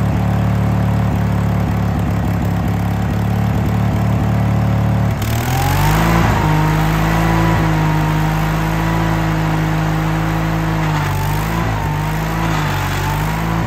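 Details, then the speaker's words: Case 1816C skid steer sat 10+ years, first run: steady diesel run, then after about five seconds the note drops and drones heavily as drive takes load, starved and laboring; owner suspects hydraulic oil drained out. "it didn't move I mean it tried to move but it sounded like it was starving um so I'm wondering if all of the oil hasn't drained out of um all the hydraulic oil drained out of it"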